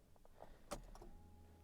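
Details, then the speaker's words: Daimler XJ40 that broke down on the highway in the rain, then seemed fine again; battery slightly low. After the brake pump runs, clicks are followed by a faint steady hum of the fuel pump priming normally; it then idles fine. "and yeah i don't know if you guys heard that but fuel pump is priming all right"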